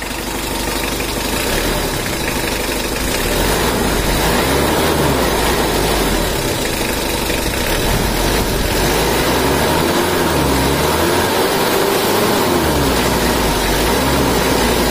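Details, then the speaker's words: Rebuilt Mitsubishi Strada Triton 4D56T diesel during break-in, after overheating seized and scored the liners; injection pump not yet calibrated: even, steady idle with a slight low wobble, no knocks or rattles; normal idle. "ini adalah suaranya juga normal"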